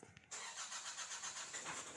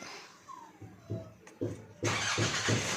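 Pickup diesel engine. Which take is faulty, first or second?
first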